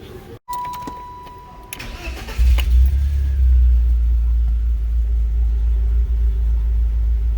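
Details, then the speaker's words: Car after new spark plugs and wires, valve cover gasket still leaking oil into cylinder 2: cranks, catches cleanly and settles into a steady even idle with no misfire; running fine, later no codes. "Seems to be running just fine."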